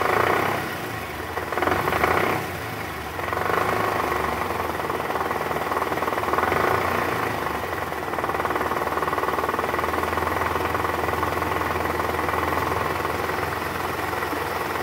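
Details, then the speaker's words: 2012 Toyota Camry 2.5 V, 2AR-FE engine, 167,000 km, at initial start with AC on in reverse; rough, diesel-like rattling knock from the oil pan area, gone after replacing the worn balancer shaft; balancer shaft rattle. "penyebabnya suara kasar di awal tadi adalah balanerf yang sudah OBL"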